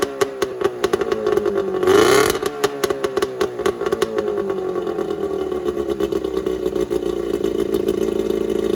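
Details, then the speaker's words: Starcraft boat's small kicker outboard, run during spring de-winterizing after the main motor was run and held temperature; it catches after a brief burst, then settles into a steady, even buzzing run with no knocks, running very well. "that ran any stronger it has to be a 15 horse now that you know both motors run and they run very well"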